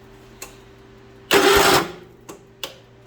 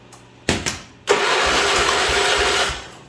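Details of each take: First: John Deere 210 lawn tractor with the fuel turned on for a first start attempt: a short crank burst stops dead after about half a second, then only faint ticks; the engine locked up and the owner suspects mice; starter jammed by mouse nest. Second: John Deere 210 lawn tractor, oil full but clean (owner fears it's blown off); starter cranking with two short bumps then steady chug of compression strokes — good compression.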